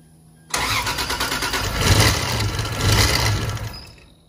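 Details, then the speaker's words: Freshly 2JZ-GTE VVTi swapped 1986.5 Toyota Supra MK3 on EMU Black ECU, first start: engine fires and stumbles, surging unevenly, never settling; crank and cam sensor timing sync fault, traced to reversed VR sensor pin polarity. "yeah we definitely have a little bit of a timing issue going on but everything else is looking good"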